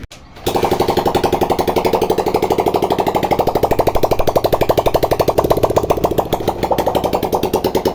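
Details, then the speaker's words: Honda 125 motorcycle on its double stand, kick-started after the rocker pin O-ring was replaced and the 12 mm bolt tightened: catches and holds a quick, even putter with no tapping or misfire; no leaking at the pin. "दोस्तों, ये देखें आप, motorcycle बिल्कुल start हालत में खड़ा हुआ है, और इसकी पिन आप चेक कर सकते हैं जहाँ से हमने इसका छल्ला चेंज किया है, कोई लीकिंग वगैरह नहीं है।"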